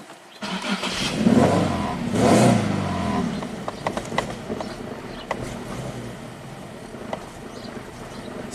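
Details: 2008 Infiniti G37S: engine fires and flares twice, then sags and dies with scattered clicks like running out of fuel; start then stall, no codes set, new fuel pump made no change.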